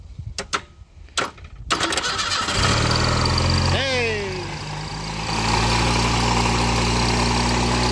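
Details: Wrecked 1988 Ford Ranger, fuel pump and relay now working after starter wiring trouble: a few cranking turns, then it catches and settles into a steady even idle with no misses or knocks.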